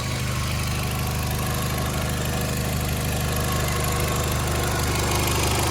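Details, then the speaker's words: Mk4 Jetta 1.8T with replacement USDM closed-deck block after wrist-pin failure; codes for camshaft position sensor A circuit high and MAF low still pending; steady low idle with even pulse, no knocking or ticking; idles smoothly. "Sounds good though. We're about there. I'd say it's a win."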